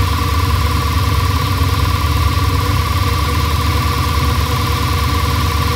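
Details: Audi S6 C6 V10 after replacing both high-pressure fuel pumps, one leaking at the pressure sensor connection, and clearing fault codes: start then steady, even, smooth idle with no knocks, misses or hunting; running healthy.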